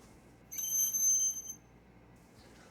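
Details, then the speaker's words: Car braking to a stop gives a piercing high-pitched squeal of about one second. Brake squeal, possibly from worn pads, incorrect installation, hard pad compound, or dust, moisture and rust buildup. "squealing breaks are very common and can be the result of your brake pads wearing down over time your roads are being installed incorrectly or it could be that your pad's compound is hard causing your brakes to squeal"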